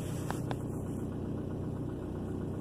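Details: 2003 Ford Focus after fixing cylinder 2 misfire (code P0302, check engine light): steady even low idle hum, no knocks or stumbles, engine running smoothly; scanner data reads normal.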